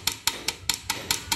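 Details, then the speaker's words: Yamaha Fazer 150 Blueflex with a noise at the rear wheel: sharp metallic taps, about five a second, as the drive chain slaps the worn, dried-out chain guide on the swingarm. Drive chain striking worn chain guard. "mas aqui ó vocês estão vendo esse guia da corrente aqui ó tipo um batedor né olha o que que acontece ó se eu se a corrente bater nele aqui ó aqui olha só"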